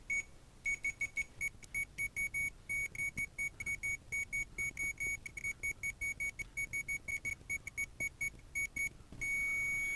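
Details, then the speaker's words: Working multimeter beeping during continuity testing while tracing broken cartridge traces on an unlabeled, non-working game cartridge after contact cleaning; rapid run of short, even, high-pitched beeps, then one steady tone; normal continuity beep. "And we're going to bring in uneven Steven for our continuity testing."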